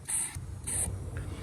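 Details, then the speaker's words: 1998 Kawasaki STX 1100 jet ski with loss of power (found to be a broken spark plug wire); fuel tank vent line checked by blowing into it: two short airy hisses as air flows freely and comes back out. Vent open, tank holding pressure, normal. "I just blew into that and and air came back out"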